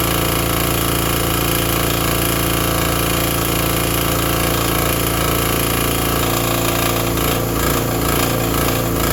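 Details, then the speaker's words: Vintage Briggs & Stratton 5 hp generator, running after start: steady, even single-cylinder speed with no misses or knocks while powering a small shop vacuum, running normally. "I mean, that thing fired right up. ran the little shop vacuum. No problem. So, that is awesome."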